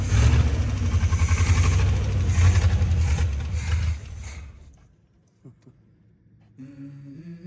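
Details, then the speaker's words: 1955 Chevy 283 small-block V8 after 37 years parked, after new cap, rotor and points, carburetor not yet rebuilt: deep even V8 rumble revving and settling cleanly before shutting off; running properly now, may not stay running until carb rebuilt. "Awesome. That sounds better."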